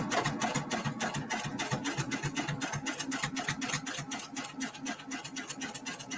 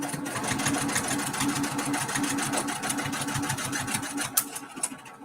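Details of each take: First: Multi-needle embroidery machine stitching a Kimberbell mini quilt: after the needle is rethreaded, quick, even ticking at about four stitches a second with a light mechanical hum; stitching smoothly and normally. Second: Multi-needle embroidery machine stitching a mini quilt: fast steady stitching chatter turned hollow and lighter; needle came unthreaded.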